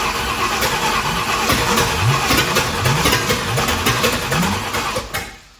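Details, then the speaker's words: 1965 Ford Thunderbird FE 390 after the distributor was turned and locked the day before: uneven cranking with irregular sharp pops, never catching; owner thinks it's timing. Backfiring while cranking. "it's backfiring all right so I I did turn that distributor yesterday and locked it down probably need to turn it back this way a little bit"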